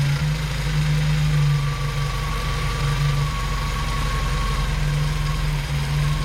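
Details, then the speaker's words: 1977 Datsun 620 four-cylinder after vacuum advance connected, carburetor idle being adjusted: low, steady idle with even beat and no hunting or stumbling; running smoothly. "it's definitely sounding better and running better"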